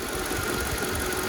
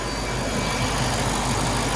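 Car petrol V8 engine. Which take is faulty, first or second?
second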